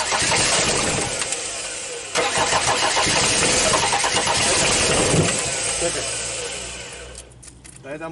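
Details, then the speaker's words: Audi diesel cranked after about 12 years sitting, fuel and power fed to the pump: starter churns steadily, about 3.5 turns per second, engine never catches; air in the fuel lines being bled. Crank no start. "I would try to let the air out of the pipe so the fuel could pass"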